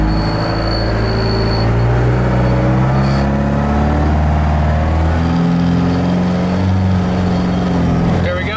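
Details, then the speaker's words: Cummins 4BT diesel in Bullnose Ford: low drone wavers and sags unevenly, revs dipping as if about to die; owner suspects injection pump/high-pressure pump problem, piston shows slight scoring. "oh she's gonna die [Music] I think high-pressure pump and the injection pumps going"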